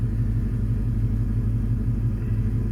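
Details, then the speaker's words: Ford Mustang V8 with straight pipes and no catalytic converters (check engine light on), harmonic balancer reportedly shaking off; loud low steady open-pipe idle rumble, even beat, no stumble; idling fine, though it stutters on daily starts. "But yeah, everything's running good. The check engine light is on because it doesn't have catalyst converters. It's all straight"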